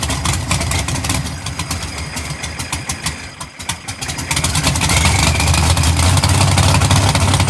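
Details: GTO V8 being tuned: a lumpy, slow idle with uneven pulses that picks up and smooths as the throttle blade on the throttle body is opened for more air. Idle is set too low and needs raising.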